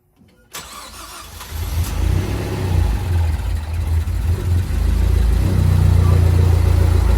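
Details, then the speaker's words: Ford Focus ST rebuilt engine (new head gasket, camshafts refitted) at first startup: it cranks, fires and builds revs unevenly with a lumpy beat and won't stay running. The cause is not yet known. "we need to figure out what's going on why the thing won't stay running"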